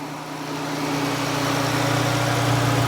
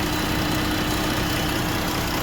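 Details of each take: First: 2017 Jeep 3.2: smooth, even low hum with a steady note and no stumble or miss, then it cuts off; a clean, healthy idle. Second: 2017 Jeep 3.2: steady, heavy idle with a slight unevenness underneath; cylinder 5 misfire (P0205, P0305) from an injector that fails open once hot.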